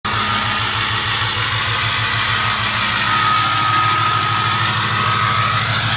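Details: 2006 6.0 diesel fitted with a 2003 turbo at high idle: steady diesel clatter with a thin high whistle over it, steady then fading; normal turbo whistle.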